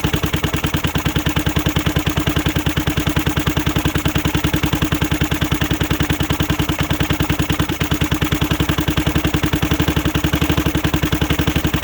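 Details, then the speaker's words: 2006 Zhejiang Kangdi 250cc kart with a big-bore cylinder, first run after teardown: a fast, even single-cylinder putter of about three and a half beats a second holds steady. Smooth, healthy idle; it needs a new clutch and seats but runs as is. "Jason we got her I just gotta buy a new clutch uh seats and stuff for it but I can run it like it is"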